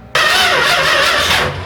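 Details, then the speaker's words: 440 big-block swapped into Dodge Dart Swinger, cold day, battery freshly charged after timing work; starter cranks briskly under two seconds but never fires. Owner suspects ignition timing severely off. "It's not working again. Are you leaking anything? I don't know. What's going on with this damn thing?"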